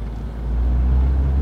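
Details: Proton Saga FL with a conventional (non-CVT) automatic gearbox, checked for jerky shifts and a blinking gear light: under throttle the engine drone builds smoothly into the 1-2 upshift with no clunk, jerk or flare. Gearbox judged not damaged. Normal upshift.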